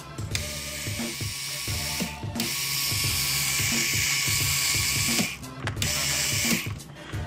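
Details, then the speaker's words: Cheyenne Thunder tattoo machine after resoldering a detached coil and mini-jack, run through its protection circuit: fast, even buzzing with light mechanical chatter cycling steadily without stalls; normal running after repair. "работает всё циклит и это очень хорошо"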